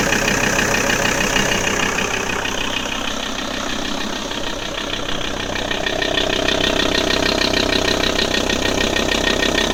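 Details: Audi A6 C4 2.5 TDI (AEL) diesel idling with a strange regular, fast knocking clatter about three times a second over the steady run.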